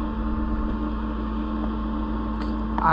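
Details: Autoterm Air 2D diesel air heater, just rewired, in a Peugeot Boxer L3 H2 campervan conversion: steady even fan drone, no rattles or surging, warm air coming through; normal running.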